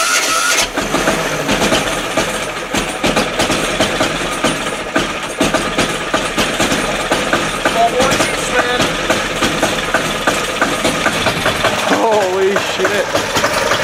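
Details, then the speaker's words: 10hp single-cylinder LaunTop Yanmar-clone diesel at about -4C. A long stuttering crank before it catches into a clattery idle. The hard start is due to a poor ground connection through the painted-over ground stud and painted surfaces. "I know I painted over my stud, so it might take me a few seconds to get a good enough connection there uh to start her, but I'll see"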